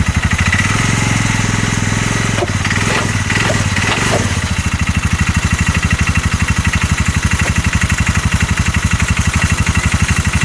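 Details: 2022 Massimo T-Boss 750 EFI UTV that a dealership gave up on: engine knocks hard about four beats per second once in gear and driven forward, whole unit shuddering under load; CV axles and U-joint tight, cause unknown.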